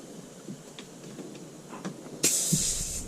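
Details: 1983 Mack cabover semi, running, with loose high-low shift linkage, worn U-joints and no reverse: low engine rumble, then a sudden loud, continuous hiss of air leaking profusely at the shift valve, and it is not building air properly.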